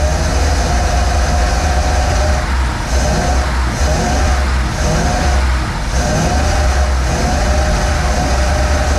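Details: 1947 Ford cab-over V8 truck, unrun for about 60 years, after starter ground fix: deep, even rumble that swells as the throttle opens and settles back; runs cleanly with no misses or knocks.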